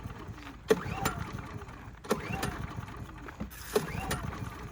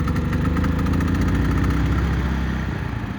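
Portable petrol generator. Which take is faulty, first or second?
first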